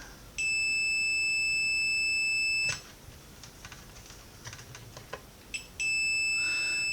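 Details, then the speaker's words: Roberts R900 radio, made about 1985, faulty, under repair: multimeter continuity check on the supply rail after one diode tested fine. A steady high-pitched beep for about two seconds, probe clicks, then the beep again; the rail is dead shorted. "Right, well, that doesn't look right, does it?"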